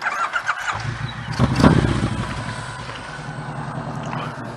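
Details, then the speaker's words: Motorcycle on startup during slow-speed practice: harsh, loud, rapping bark with uneven pulses; exhaust has baffles but no packing around them, so overly loud. "That's what you get when you don't have any packing. We got baffles in there. Got the baffles, just don't have any packing around the baffles."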